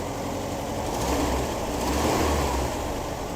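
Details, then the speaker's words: 1973 VW Squareback Type 3 air-cooled flat-four, first start-up after new points, plugs, wires, injectors, starter, fuel lines and vacuum hoses, with valves and timing adjusted. Steady, smooth low thrum, idling slightly high; possible vacuum leak. Healthy, normal idle. "But it's sounding pretty good, and it's sounding pretty healthy. So Very healthy."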